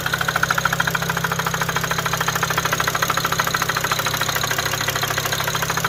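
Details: Car knocking after a test drive following intake valve, plenum and throttle-body cleaning, a used high-pressure fuel pump, an upgraded front-mount intercooler and new fuel pressure sensors. A steady sharp metallic tick-knock of about 160/min rides over the idle, apparently from the driver-side front. Cause unconfirmed.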